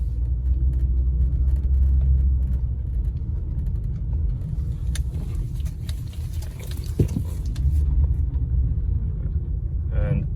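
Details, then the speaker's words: Honda real-time AWD, after rear differential fluid drain and refill: low, even road rumble through tight parking-lot K-turns with no groan or chatter; the noise is gone and the rear differential runs quiet. "there you go no more noise it's a little k turn here no he's just gone"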